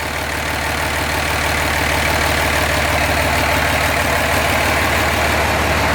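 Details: 2005 common-rail Cummins diesel in a 2008 Ford F-350 dually, warming up (reading 93 degrees, for hot retorque): smooth evenly paced idle clatter, no ticking, exhaust puffing or exhaust leaks; healthy.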